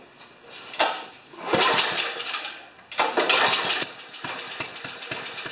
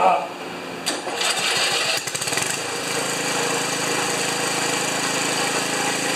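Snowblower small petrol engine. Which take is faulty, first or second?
first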